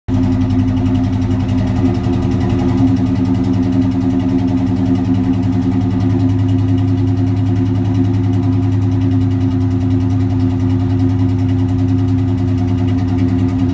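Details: Cobra engine idling loud and deep with a lumpy, uneven pulse that never settles into a smooth beat; rough idle, cause unclear.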